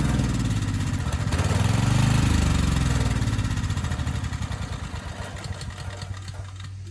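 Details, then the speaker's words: Briggs & Stratton Storm Responder generator engine 21T212, previously stuck at TDC with fuel-flooded crankcase, governor spring backed off for low speed: catches and settles into even, slowish thump about three beats a second; initial smoke burned off, normal running. "okay that's all i wanted to see it makes power the engine sounds good it was smoking a bit but that burned off after a few minutes so i think we're good"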